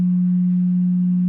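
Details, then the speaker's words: Temperature controller running a guitar side-bending heating blanket: steady, fixed-pitch low hum, present only when switched on, starting after an air filtration unit was plugged into the same outlet; cause unknown. "i don't know if you guys can hear that humming sound that's coming from here that is a mystery to me"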